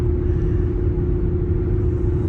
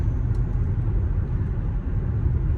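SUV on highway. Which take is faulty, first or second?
first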